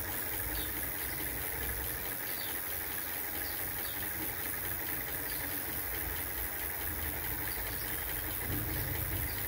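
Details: Electric bicycle at full throttle, wheel spinning free, in a solar charging setup with a 45 W panel, MPPT controller and 12 V 22 Ah gel battery: constant motor hum with fast uneven rattling buzz, vibration noise.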